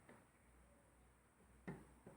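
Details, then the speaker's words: Yamaha RD 135 two-stroke engine (1985–86), old and hard to tune: sharp hollow clicks as the loose crankshaft is rocked by hand, showing excess crankshaft play; to be dismantled to see if play is in the bearings or their housing in the block. "Olha só olha o barulho que faz Olha a folga no virabrequim tá vou desmontar agora para saber se a folga tá entre os rolamento para saber se está entre o alojamento do virabrequim no bloco"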